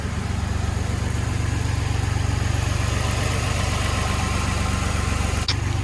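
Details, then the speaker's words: Nissan G35 on first startup after a five-month rebuild: a steady idle with an even rattle pulsing two or three times a second, possibly from the exhaust; source unclear and still to be fixed. "We just gotta fix that rattle. That sounds horrible. That rattle sound really bad, but that's it."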